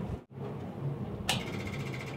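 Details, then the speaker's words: 1940s Bay City Model 30 cable crane/dragline abandoned over a decade, 6-volt positive-ground system powered by a borrowed 6 V battery; its old Bendix 6 V electric fuel pump ticks sharply about a second apart, cycling normally. "Look at that. That fuel pump started going. I'm going to turn it on again. I don't know how that could be working."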